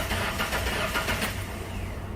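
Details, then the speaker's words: Ford Ranger with a misfire, coils disconnected for a cranking listen test: steady, even starter cranking with uniform compression pulses, no uneven beats, pointing away from a mechanical fault; spark later confirmed good. "So now I want to listen to it while I crank it, because that's going to tell me, well, it's not going to tell me exactly, but it'll lead me in the direction possibly of, does this thing have a mechanical fault? So here we go. No, actually it sounds good."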